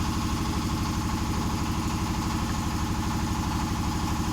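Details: Honda Vario 125 scooter at steady idle, about three soft beats a second, no misses or surging; fuel spray judged normal, test after replacing the throttle position (TPS) sensor and fixing the faulty temperature sensor behind mid/full-throttle hesitation.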